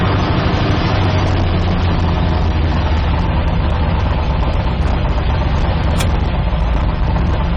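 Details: 1972 Nova drag build, in gear after transmission test following fluid drain (earlier 2-3 shift locked rear wheels); deep even idle rumble holding steady, no clunks, slips or surging; all gears and trans brake working, normal idle.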